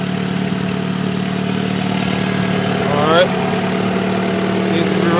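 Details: Car engine idling after repairing an intake manifold leak caused by an improperly installed manifold brace: steady, even, smooth low hum with no misses, hiss or ticking; no fuel or vacuum leaks, running cleanly.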